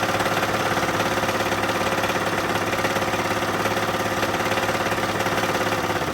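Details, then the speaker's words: 1983 GMC S15 Jimmy 2.8L, not run in 15+ years with the passenger valve cover off, first start: steady rhythmic knock at idle, three to four beats a second, over rough running; a knocking rod is suspected. "yeah cuz I don't know what it sounds like over on your side but it's pretty loud on my side I think that's cuz there's a rod that's knocking on your side"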